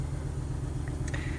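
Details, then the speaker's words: 2008 Honda Ridgeline J35 V6, idling after years parked: rough uneven idle with a steady low pulsing lope; burnt valve on cylinder 6 in the rear head, said to be super common on J35s. "As it turns out, the rear cylinder head on the cylinder 6 has a burnt valve. This is super common on the J35s."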